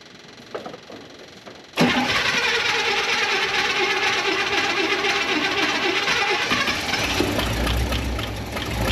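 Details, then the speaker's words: 1972 International 1110 pickup with an old two-barrel carb, first start after the accelerator pump fix and an ignition overhaul with new points, cap, rotor, coil, plug wires and timing. After a short crank it runs steady with a smooth rumble, no longer lean, with only a slight off-idle stumble on acceleration. "oh yeah that's much better it's got a very small stumble off idle on acceleration but it's not lean like it was"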